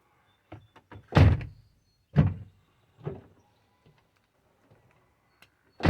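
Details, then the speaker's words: Toyota Sienna (2004–2006 type) door after welding the door check stop; opens and shuts fully with clean solid thunks, no creak or pop; normal door operation after repair. "the door is closing very good all the way out and all the way in and no problem"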